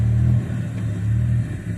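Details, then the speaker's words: Old Ford with a Weber carburetor swapped on via an adapter in place of a one-barrel YFA, timing backed off to zero after detonation, warmed up: a deep steady rumble at a fast idle (stated 12,200). High idle from air leaking past the carburetor base gasket. "When it's warmed up, it's idling at 12,200. So, I'm going to set the idle down. But, uh, I got it. The gasket's leaking in there."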